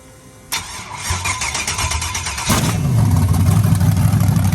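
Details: 1992 Chevy S10 with LS V8 swap, first start: hastily assembled with makeshift exhaust, three-bar MAP, hot-wired fuel pump; oil gauge reads erratically (sensor suspected bad). Cranks briefly, catches and settles into a strong even V8 idle, no knocking or tapping; normal start and idle.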